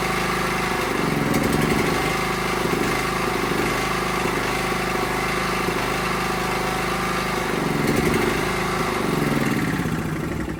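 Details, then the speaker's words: Honda GX270-type single-cylinder running on bottle-fed fuel just after valve clearance adjustment. Steady, even chug at fast idle with no top-end ticking or knocking, smoother and quieter than before: normal running. "Well, that sounds fantastic. I didn't think it sounded bad before, but it definitely seems a little smoother, a little quieter."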